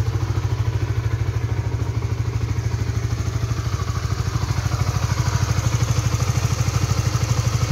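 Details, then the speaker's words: Honda 150cc motorcycle (Supra GTR 150/Sonic/CB150R class) warmed 3–5 minutes on its second fill of Shell Advance oil, only 1700 km in: steady low thumping idle with a dry clattery edge on every beat; rough engine, owner suspects worn oil. "nah ini pemakaian oli shell Advance yang kedua ya sekarang baru mencapai 1700 kilo tapi suaranya Udah Kasar banget ya di mesin"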